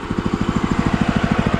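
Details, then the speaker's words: DOZER G7 2BT 7 hp walk-behind tractor (aka Kentavr, DTZ, Forte), idle measured at 1550 rpm by tachometer, set by black plastic screw: regular steady single-cylinder thump, unbroken; normal idle. "Сейчас покажу количество оборотов. Таходы-то. Вот это холостые обороты. 1550."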